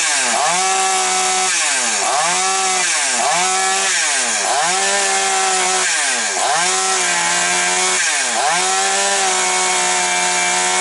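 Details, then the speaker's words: Chainsaw that previously had hunting revs and stumbles, now after repair: revs drop smoothly with each cut and recover cleanly, holding a steady high pitch between cuts. "Ну, бачите, працює добре. Зараз, секундочку, я перепрошую. Значить, дивіться, все пішла в роботу, дякувати Богу."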